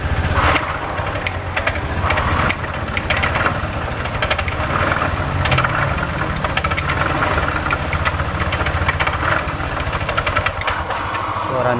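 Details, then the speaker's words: Automatic scooter CVT opened up: steady idle with a rough clattering knock and gritty grind from the belt side. The drive belt is damaged and the rear pulley bearing has failed, caused by a worn roller housing; described as severe damage. "bongkat wow suaranya [Tepuk tangan] mengerikan wah benar bisa dilihat Bro ya Coba bunyikan Bung kerusakannya parah [Tepuk tangan] sehingga timbul suara"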